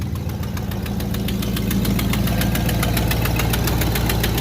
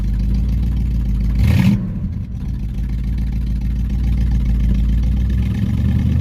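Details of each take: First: 1969 Buick GS 350 V8 idling cold with no choke, oil pressure low while warming: sharp, even exhaust manifold leak tick from cylinder eight, keeping time with firing over a lumpy idle. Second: 1969 Buick GS 350 V8 after fuel filter change, previously boggy with no power off pedal: deep idle then clean, steady rise in revs without stumbling, pulling crisply: normal throttle response.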